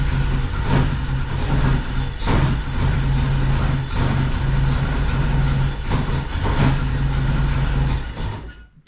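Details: Saab Sonett cranking with spark confirmed at plugs one and four, after the distributor went in 180 degrees out: steady starter cranking with even compression pulses, but it never catches; the ignition timing is wrong.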